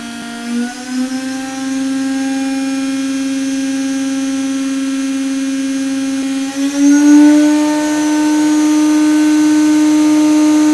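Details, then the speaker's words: CNCDepot S30C 2.2 kW ATC spindle, ceramic bearings, up to 24,000 rpm, pneumatic drawbar, on CNC router: clean steady high whine stepping up in pitch, no grinding; normal spindle run. "much people ask you what this thing sounded like so is gonna shut up and run"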